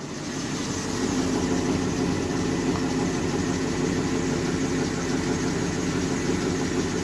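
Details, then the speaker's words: Truck with new 250 A alternator, at idle after Y-pipe conversion replacing the 180° exhaust bend: steady even low rumble through the exhaust, no misses, ticks or knocks, only water steam; clean healthy idle. "so you can see nothing but water steam very very clean running truck now that sounds good so that's it I'm very happy with how it turned out"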